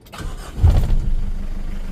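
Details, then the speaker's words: 1996 Mitsubishi Strada pickup, 2.5 turbo diesel with a 12 mm injection pump, never heavily loaded, hot start. Short crank, then it fires right away and settles into an even, steady idle with no hunting or stumbling. Normal start. "อื้อหือติดง่ายนะครับเดินนิ่งไม่มีหอบปั๊มสายนะครับ"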